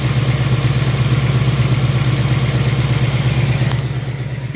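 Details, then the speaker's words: Brand-new 2018 Ford Mustang GT, gen 3 Coyote V8, on a dealer lot: steady idle with a faint, light tick about three times a second; the owner believes the tick is normal for this engine. "I think that had a little noise coming out of it"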